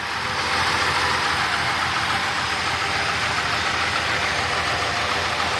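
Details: 1971 Chevy C10 truck, once wrecked and revived, started cold on a weak battery: steady, even idle rumble with no knocks, misses or surges; healthy old truck motor, normal idle.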